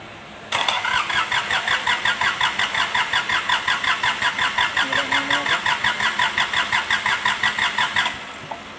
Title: Kubota D905 hard starting,luck of fuel and blowby